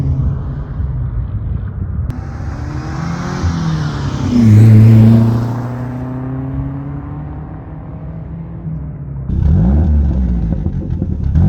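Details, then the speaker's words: Saab 900 Turbo after new spark plugs, distributor rebuild and ignition timing set: pulls smoothly under load, then crackles and burbles on lift-off, which it never did before; no misfire, healthy. "do you guys hear those burbles those verbals are freaking awesome it would never burble before"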